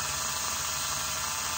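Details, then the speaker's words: Rebuilt Elson-USA watchmaker's lathe, belt on, first brief test run through an inline on/off switch. A smooth, even high hiss and hum from the motor, steady with no knocks or rubbing, running true. Normal motor run, "a great first start". "It goes okay that's a great first start"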